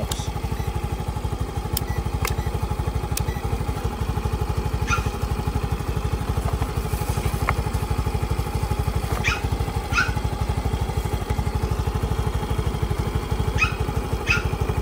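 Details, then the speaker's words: Yamaha Mio i 125 scooter that logged check engine code 46 and wouldn't start, now running after the rectifier/regulator was replaced: steady single-cylinder idle; it is charging, with battery voltage up from about 13 V to 14.5 V. "Ito ngayon umaandar. Ibig sabihin nagcha-charge siya."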